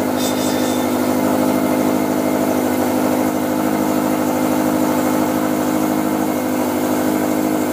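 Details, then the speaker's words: 2013 Subaru STI rebuilt flat-four, first start, cold, solid engine mounts: steady even idle, really loud, with smooth regular pulse and no tapping or misfire; healthy fresh engine. "Really loud, cold."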